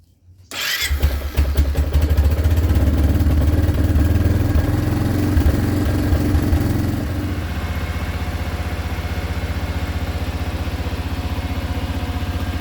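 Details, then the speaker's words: Kawasaki Prairie 360 ATV started after valve clearance adjustment: catches at once, revs briefly, then settles to an even, quiet idle with no clatter or loud ticking; healthy. "there should be very little noise might hear a little tick here and there but relatively quiet"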